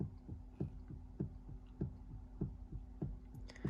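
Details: 1990 BMW 735i at 138,000 km, after replacing the clicking steering universal joint with a cheaper aftermarket part: soft, regular low thumps about a hundred a minute over a quiet hum. Steering noise persists, with some play.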